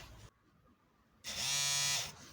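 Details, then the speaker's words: Volvo 745 wagon (B230F) main in-tank fuel pump bench-tested before fitting an incorrect replacement fuel sender after draining and cleaning the plastic tank: brief pause, then under a second of steady high-pitched buzz that fades; pump spins up and runs normally. "so one thing of course i do need to do is actually see if this little pump works"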